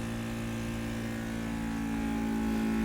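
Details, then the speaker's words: Mini 3D vacuum heat press vacuum pump evacuating a plastic bottle mold: steady even hum firming up slightly as it pulls down, no knocking or rattle; running normally. "so when you want to do the sublimation just put the second layer into the M cover it with the mold cover attach the air hose to the mold cover and start the vacuum"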